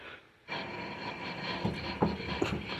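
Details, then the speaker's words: 2015 Honda Accord while driving: loud, steady gritty roar with a humming tone from a worn wheel bearing, tone changing as the wheel is turned back and forth to shift the vehicle's weight. "making that noise it's so loud I I I really couldn't tell but I kept Shifting the weight of the vehicle cutting the wheel back and forth cutting the wheel and that way you can uh you'll you'll change the tone cuz you're going to shift the weight of the wheel so you're going to change the tone of the bearing grinding"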